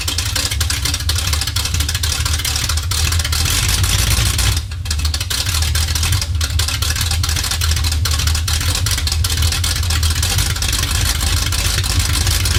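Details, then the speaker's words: 1969 Chevy C20 small block V8 running on open headers after bolt-on work: loud deep steady rumble, even, no misses or knocks; healthy engine. "oh yeah hear that Campbell hey sorry Danny Garfield sounds freaking good yeah I mean I know open headers is ridiculous"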